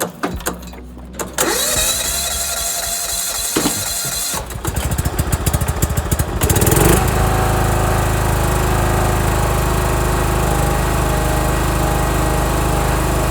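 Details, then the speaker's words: John Deere 170 riding mower with a weak starter and a low battery from 2012, manually started: several rough cranking bursts, then it catches near seven seconds and runs smoothly with no misfire; engine previously overhauled. "Alright, as you guys can see and hear, she's running. Again, this lawnmower has a weak starter."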